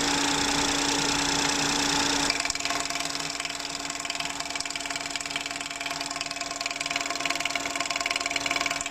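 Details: 2017 Ford Fiesta 1.0L EcoBoost three-cylinder, oil filler cap removed at idle: steady, even popping about three a second from the open filler; engine runs fine, clutch-in changes nothing; dealer confirmed normal, same on a new engine.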